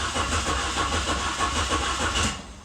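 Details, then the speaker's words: Saturn SL2 during a compression test showing low compression on one cylinder, with a starter suspected bad: engine cranks at about three labored beats a second, slower than the previous attempt, and stops without firing; slow cranking, possibly from a failing starter. "okay so that time it seemed like it was cranking a little bit slower"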